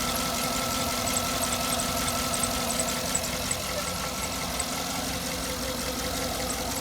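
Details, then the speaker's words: 2009 Cadillac Escalade V8 idling warm after replacing a wire: light, fairly regular ticking about three per second over steady idle, ticks every time it warms up; oil pressure fine, owner suspects failing oil pump, unconfirmed. "you can still hear the tick like I said dried like how it isoot still ticking every time it warms up it ticks every [Music] time"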